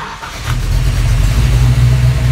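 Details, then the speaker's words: FiTech fuel-injected rebuilt engine, hot restart at 200 degrees after a 5–10 minute wait: brief crank, catches almost at once and settles into a steady deep run, quickest start ever; keyed-on power during cranking was the fixed starting issue. "yes fire's right up oh my god this is so awesome wow the car has never ever started that quickly cold or hot"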